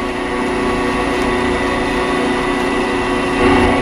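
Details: Delta 14-inch band saw running, with a dial indicator showing about a thousandth of vibration: steady, even hum with a constant motor tone and no knocks or rattles. Runs smoothly with low vibration.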